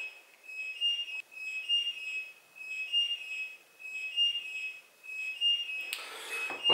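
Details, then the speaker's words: Fibaro Z-Wave FGFS-101 flood detector in water triggering its linked flood alert siren: thin high electronic tone pulsing steadily about every 1.25 seconds until switched off. "Voilà, donc c'était le petit test rapide, je vais le sortir de l'eau quand même pour éviter qu'il continue de sonner."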